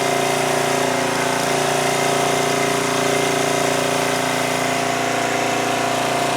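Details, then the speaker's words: 2002 Coleman Powermate 5500 generator after engine speed adjustment brought output from 135 V down to 120-121 V: steady, even drone at constant speed with no hunting, misses or knocks. Normal running. "all right so with that I think we adjusted the engine speed adequately it was down to 120 121 which is fine"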